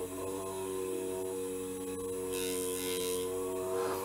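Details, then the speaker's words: Supplied 6 V DC motor driven from an Arduino, now connected directly to 5 V instead of through the transistor (about 4.4 V): even buzzing whine, spinning faster and smoothly. "if you now directly plug it to 5 volts it's a little bit more power if i put the cable in here here it's turning faster"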